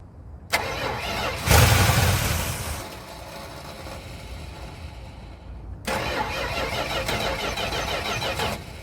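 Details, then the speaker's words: 1973 Chrysler Newport 400 cu in V8 from a junkyard, early starts on temporary fuel: cranks, fires and settles into a fast, steady idle, restarts the same; idle too high, owner suspects a vacuum leak or needed adjustment. "so it looks like it does run but I don't know feel like it's idling a little bit too high either there's a vacuum leak or probably going to have to adjust some uh hose"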